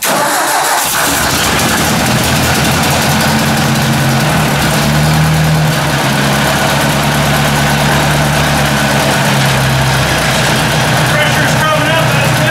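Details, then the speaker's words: Ford 800 tractor first start after long sitting, fresh oil: fires quickly, settles into a steady even idle with throttle blips and no valvetrain tapping; good oil pressure, carburetor icing noted. "no tapping sounds really good actually a bit"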